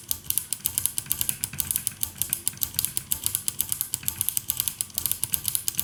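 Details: 1974 Harman Kardon 730 Twin Powered dual-mono receiver, after switch cleaning and reassembly: rapid uneven bursts of sharp thin crackles, several per second, over a quiet background from one switch with dirty contacts.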